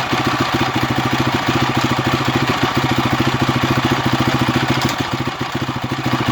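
Quick, fairly even clatter of about 200 beats a minute rides over the idle; something in this single isn't right, cause unclear.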